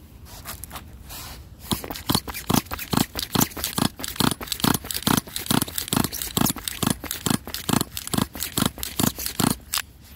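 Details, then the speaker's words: Small pull-start engine, possibly nitro: repeated rasping recoil pulls about two per second with no pop or firing between them; engine cranks but won't start. "like that so basically got nothing coming"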